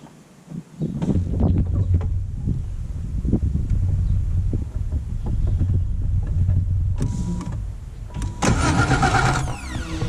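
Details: BMW E28 with newly installed starter: engine cranks at nearly four beats a second but never catches; no spark found, owner thinks he knows the cause.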